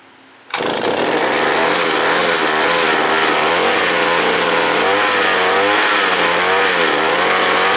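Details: Small two-stroke earth auger engine that started hard and died when revved, after carburetor replacement with a sprayer carb: loud buzz that catches and holds a high steady speed with small surges, no stumbling or dying; normal running.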